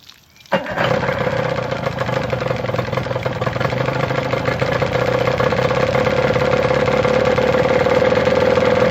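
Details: 1990 Johnson 9.9 hp electric-start longshaft outboard, freshly completed with new water pump impeller and key switch: quick start, then a steady, even buzzing run at fast idle with a smooth tone; outboard runs healthily.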